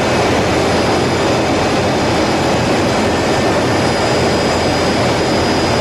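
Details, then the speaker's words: GE LM1500 converted fighter-jet turbine (15,000 hp), propane-fuelled, in test cell, heard from behind and front at full power: loud steady roar with high whistle on top, no surging or pops; normal full-power run. "Okay, what we had there was an LM1500 at full power from behind and from the front."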